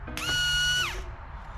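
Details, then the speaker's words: Fox-body new electric fuel pump run outside the dropped tank, car would not start: clean steady high whine holding about half a second then winding down; pump sounds fine, old pump suspected clogged filter. "pump sounds great this actually sounds way better than the other pump the other pump sounds like it's got rocks in it so i think the pump's fine"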